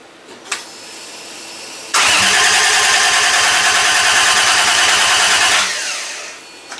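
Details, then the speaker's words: Toyota Supra with a swapped 1JZ engine at its first start attempt; cranks about four seconds with even chugging but never fires; fuel pump runs, so owner suspects no spark or injector signal. "all right so um as you heard it cranked I think you guys heard the fuel pump come on so those two are good"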